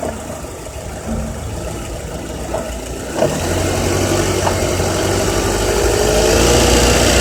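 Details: Honda Accord K24Z3 petrol four-cylinder climbing through 2200–3000 rpm with a light, fairly steady metallic rattle riding on top; cause not pinned down.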